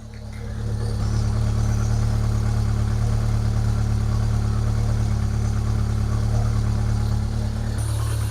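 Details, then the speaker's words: Rover 25 GTI 1.8L VVC petrol engine, cold, after replacing rocker cover gasket: fast idle with revs hunting up and down before settling lower; earlier misfire seems cured. "because the engine's cold. you can sort of hear it up and down in vocal vocal tunes in tune um or in sounds because at the moment the revs haven't settled down because well that's what they do while they're while they're cold they sit high in the revs and then they gradually lower down the revs."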